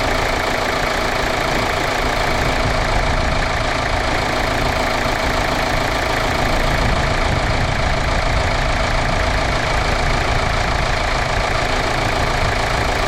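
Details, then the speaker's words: Kia Sorento 2.2 CRDI diesel after alternator replacement, with the alternator/power steering pump belt refitted and the battery reconnected. On first start it gives a steady, even diesel clatter at idle with no squeal, knock or stumble: normal idle. "alternator power steering pump belt on uh I've dropped it down it's literally done batter's back on so I'm going to fire it up"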